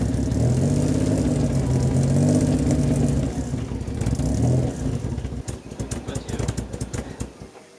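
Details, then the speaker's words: Barn-find Maserati Biturbo 4.24V V6, stored over 15 years, after correcting swapped ignition coil wiring: catches, runs rough, revs sag and sputter before dying within seconds; stalls, owner suspects fuel supply, cause unconfirmed. "elle finissait systématiquement par caler donc je me suis dit qu'il y avait peut-être plus d'essence dans le réservoir"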